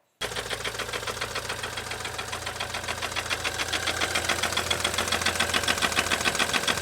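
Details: BMW N20 turbocharged 4-cylinder from a Z4, a little over 110,000 miles, recorded running before removal: a hard, rapid metallic knock about three or four a second over idle; serious rod knock, cause unknown before teardown.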